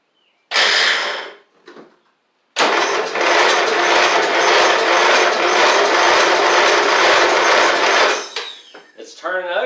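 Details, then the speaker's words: Troy-Bilt Pony mower swapped to a Briggs & Stratton flathead, oil added to help it fire: sluggish starter cranking, about two turns a second for six seconds without firing; battery too dead, though it seems to have compression; slow cranking, weak battery. "that's a good thing it's slow though and I'll show yall what happened into the other one here in a second let's see a battery's too dead"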